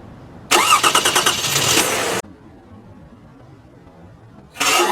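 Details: Car started after sitting 11 days in January; it had reportedly cranked briefly and stopped, despite a battery replaced in October. A short crank catches promptly and cleanly with no stumbling. Normal start.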